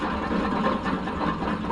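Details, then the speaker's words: John Deere L130 mower deck spindle spun by hand with pulley removed gives a harsh, gritty grinding rumble like a rut crusher; worn-out spindle bearings needing replacement. "one. Ooh, sound like a rut crusher. That one ain't so bad, but look at that one. Ooh, boy, I bet his neighbors hated him when he had to cut the grass."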